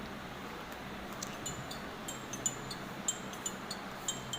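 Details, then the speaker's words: Jio F320B phone ringer playing a ringtone before repair: only thin, quiet, tinny distorted blips through hiss instead of a clear tone, some ringtones inaudible; faint distorted ringer. "यह देखिए यह बहुत ही कम आवाज आ रही है और फटफटिया रही है यह देखिए कई रिंगटोन की अवस्थाओं आ ही नहीं रही है"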